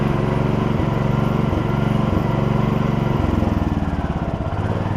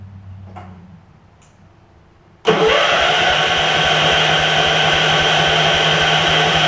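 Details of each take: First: Gravely 16 Professional walk-behind mower, revived after sitting a while, driving with sulky attached: steady, even low single-cylinder thump, rhythm shifting slightly with load; idles and pulls smoothly, good runner on original parts. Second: Gravely 16 Professional walk-behind mower, 578 hours, fresh gas, air filter off, run on starting fluid: catches sharply, fast even buzz about five seconds, then winds down and dies; fuel not reaching carburettor.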